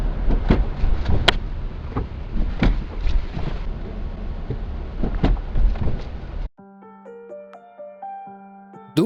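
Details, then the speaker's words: Lada Vesta SW Cross 1.6 with CVT, about 3,000 km in 11 weeks: dull irregular thuds over road rumble crossing certain speed bumps, not cured despite earlier claims; suspension knock, source still unknown, dealer visit planned. "помните я вам говорил про стук подвески на некоторых лежачих полицейских дак вот они не совсем прошли"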